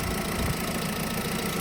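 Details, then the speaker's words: VW Polo 1.4 after a head gasket replacement, warmed up with temperature at 90°. Steady, even idle with a smooth hum and no ticking or knocking; quiet, no funny noises. "Everything is fine. It's quiet. No funny noises."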